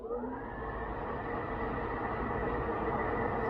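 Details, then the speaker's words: 80k JCB Fastrac heater blower fan running: steady even whir, constant tone around 2 kHz over cab hum, sounds healthy; air con not working, A/C compressor clutch engages, owner suspects the fan resistor but is unsure. "the heater fan works as well. So I'm a bit at a loss as to what the problem is."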